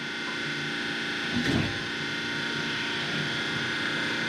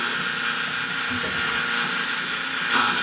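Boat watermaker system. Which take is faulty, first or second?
second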